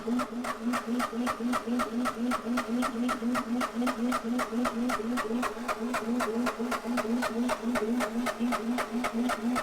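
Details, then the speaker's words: Onan MEP-016B military 3 kW single-cylinder diesel generator, non-runner, fuel lines being bled: even compression thumps about four a second while cranking, never firing; fuel now reaching injector, crank no start. "all right we got fuel to the injector we're getting close"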